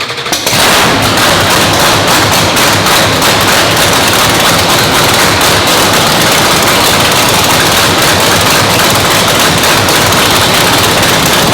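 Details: Brand-new 997 cubic inch nitrous race motor, freshly installed, fired again to warm up: fast, sharp crackling pops from open exhaust at steady high idle, even and unbroken; healthy.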